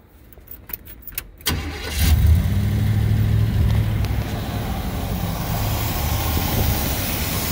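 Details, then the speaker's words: 1972 Chevrolet Monte Carlo, numbers-matching factory 402 big-block (U code), original drivetrain, long-sitting, run off a fuel jug: a few cranking clicks, then the V8 catches and settles into a deep, steady idle with no knocks or stumbles; normal start and idle. "it's been sitting for a long time but it didn't take a lot to get this thing running"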